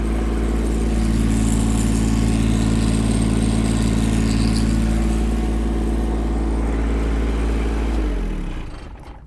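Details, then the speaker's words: Kymron H20D Chinese mini excavator with a Yanmar diesel: steady idle with a light metallic buzz from the loose foot pedal plates rattling while running, then engine shuts off. "next thing these uh these little pedal back things they rattle when it's running can you hear"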